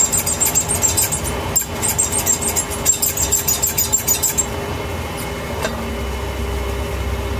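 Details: 2012 BMW 328i Cabriolet (E93), 6-speed: thin, high chirping squeak from the rear only when accelerating, in lower RPM of each gear, fading off-load; camera under car at differential dust cap, owner suspects cap rubbing or differential itself.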